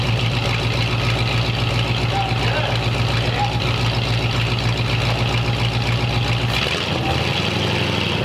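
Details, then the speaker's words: 1929 Ford Roadster Pickup, formerly straight-piped, after a new full exhaust with small glass-pack mufflers: deep, even low-pitched idle with a steady burble, no knocks or misses, then shut off; mellow and much quieter than before; normal idle. "Sounds pretty good. Rev it up a little bit, Steve. See what it sounds like. Nice. Nice and mellow. Yeah. Super quiet compared to before."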